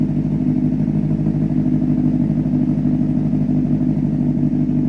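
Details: Rebuilt 2004 Honda CBR600RR, 10,882 miles, running warm at about 160°, still smoking a little; steady, even idle with a smooth low exhaust beat and no knocks, ticks or misses: normal idle.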